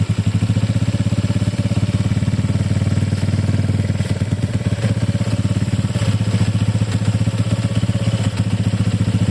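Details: Honda Click 150i scooter at idle: fast, even, clattery putter with a rough rattling edge over the exhaust beat. Abnormal engine noise of unclear cause.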